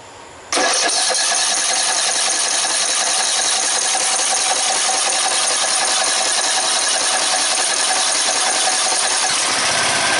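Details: Red lawn tractor, 14.5 Briggs & Stratton, after replacing fuel line: catches right after cranking and settles into a steady, even buzzing run with no misses; starts normally, problem fixed.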